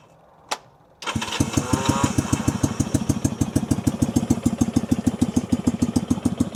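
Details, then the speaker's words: 1965 Honda CB160 161cc parallel twin: lumpy, limping idle of about three beats a second that won't idle right; one cylinder is weak, barely blowing air, while the other has good compression. "This cylinder is real weak. Barely blowing any air out of it. This one's got all kinds of compression."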